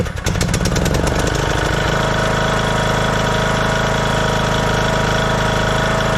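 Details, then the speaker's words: 2014 Craftsman T1600 lawn tractor after bypassing the broken blade safety switch: brief crank, catches within two seconds and settles into a steady, strong, even run with no misses; runs great. "But yeah, this thing runs great. So the only big problem with this thing was the blade safety somehow got detached, broken."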